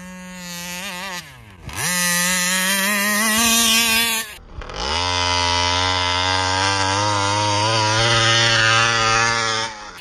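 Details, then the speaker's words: Taylor RC 35cc reed-valve two-stroke in the Punisher RC car during tuning: screams to full throttle but the high note wavers and surges; flutter at top revs, also won't idle. Owner plans to swap the carburetor to try to cure it. "okay yeah I still haven't been able to get rid of that flutter on the upper end"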